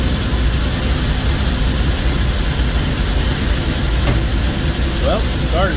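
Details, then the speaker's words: First start after Weber carburetor rebuild (new gaskets and O-rings for a top-plate fuel leak, float reset to factory level), air filter left off: engine catches straight away and settles into a steady, even idle with no misses, knocks or hunting. "we're gonna leave the filter off for a few minutes and then trying to start it up see if it needs any adjustments"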